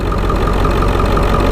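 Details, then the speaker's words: Ford 7.3 Powerstroke diesel idling with oil cap off for a blow-by check: steady, deep smooth clatter, no knocks or misses; only a little, tolerable blow-by. Normal diesel idle, healthy motor. "there's a little bit of blow-by but this motor is pretty dang healthy guys I'll tell you that much"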